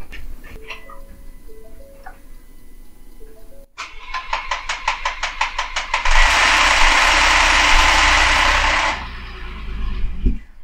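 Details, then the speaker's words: Ford F150 EcoBoost, first start after broken crankshaft repair with oil drained from the system: cranking pulses at three or four a second, then loud harsh clatter for three seconds before dying; owner expects cam phaser rattle until oil pressure builds. "I guarantee you it's gonna rattle like crazy because of how much oil is drained out of the entire system the phasers that one that was thunking I guarantee is gonna rattle quite a bit and then as soon as it gets enough oil pressure the rattle will be gone"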